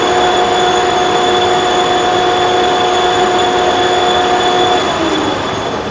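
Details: Monarch Merit lathe after converting its non-working DC drive to an AC drive; power feeds engaged, cross slide and longitudinal feeds both working. Steady even gear whine with a constant mid tone, no knocks or grinding; lathe power feeds sound healthy.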